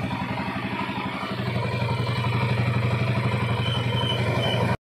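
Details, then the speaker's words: 2008 Honda TMX155 CDI motorcycle after rebuild with original parts (bearing, conrod, timing): even steady idle putter with clean low beat, no knock or rasp; previous saw-like internal knocking gone, running healthy. "okay guys Yan po napakagandang andar nawala na po ung yung kalino sa loob Yung may parang lagare pumupukpok"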